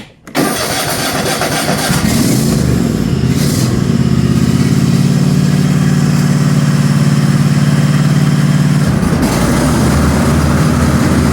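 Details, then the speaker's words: Cub Cadet XT1 Enduro garden tractor after replacing a failed mower deck spindle; engine starts, deck engages to an even steady hum with no grinding or knocking; normal mower deck running after repair. "and she sounds good all right everyone that's going to wrap it up here on this cup kadet xt1 garden tractor here we had with the mower deck noise with a spindle on it"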